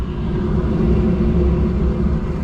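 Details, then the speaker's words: Carrier rooftop unit furnace after replacing a faulty control board and the thermostat: steady, even low rumble with no knocks or rattles; firing and running normally. "not gonna open it up because I can tell that it's actually running right now."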